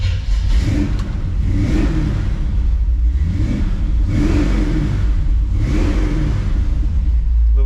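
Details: '57 big V8 after swapping the FiTech fuel injection for a rebuilt Holley carburetor and changing the distributor, pumped before starting: blipped up and down a few times, revs climb and fall cleanly with no misses or sputter. Normal revving.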